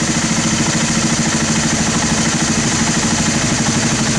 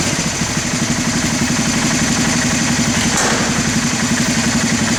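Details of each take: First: Honda TRX300 ATV single-cylinder, carb cleaned after sitting 5 years, idling slow and loping as the pilot/mixture screw is backed out too far: rich idle mixture drops idle speed; set between lean and rich drops where idle is fastest. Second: 1991 Honda TRX300 4WD that sat 5 years, after carburetor cleaning and pilot screw adjustment for the fastest idle: a quick, even single-cylinder idle holding steady with no stumbling or hunting before shutoff.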